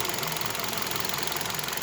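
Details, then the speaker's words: Fast, regular light knocking at about 1000 rpm warm idle on a 2015 Kia Rio, heard near cylinders 1–2; a mechanical top-end or bottom-end tick, exhaust and running otherwise even, cause unknown. "но точно стук и так принципе где-то вот в этом районе во-первых первый цилиндр второй цилиндр это в этом ранее"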